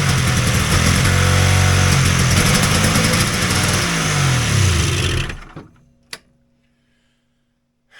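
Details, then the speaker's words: Polaris XLT triple two-stroke snowmobile after a summer's storage, possibly flooded: loud raspy revs sag unevenly and die within seconds; fuel pump not pumping, later found with an internal plate installed upside down. "that pump is definitely hurt which sucks because I just looked at it guess it's rebuild time"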